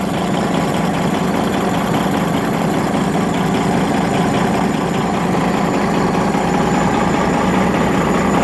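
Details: Rebuilt Detroit Series 60 diesel at idle: steady idle with a dull knock about once a second, caused by an injector adjusted at too low a rate.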